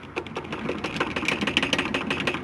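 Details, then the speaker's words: Hyundai HR truck: fast light metallic clacking, about eight knocks a second, from a loose cab mount bolt being rocked; suspension all new, fix is just tightening the bolt. "mas aqui eu já aviso diagnóstico apenas apertar beleza e o barulho vai parar imagine o barulho"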